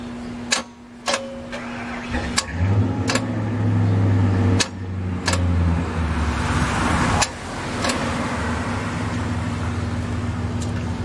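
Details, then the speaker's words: 2005 Chrysler Pacifica 3.5L MPI 24-valve V6 AWD: sharp single clicks at each key turn but engine does not turn over; starter suspected incapable of turning engine, possibly burnt out, engine seizure not yet ruled out. "but you hear it it's clicking but it's not turning the engine over so that's where we are right now"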